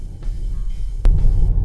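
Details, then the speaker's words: Jeep Grand Cherokee driven over rough pavement: deep road rumble with sharp brittle loose clicks, like chopsticks dropped on glass, interior rattle for half a year, most frequent when right rear wheel hits bumps. "他这个车呢是颠路异响，有这种松散的声音，所以说咱们开起来去颠一颠，跑一跑，听听到底是什么声。"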